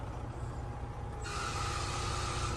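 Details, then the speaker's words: Diesel Freightliner FLD idling: a harsh hiss and steady high whine jump in the instant the AC is switched on; owner suspects a stuck AC compressor or clutch, possibly also the air dryer. "The freaking thing is stuck. So it looks like we're gonna, instead of needing a fan clutch, it looks like we might need an AC compressor and maybe even an air dryer."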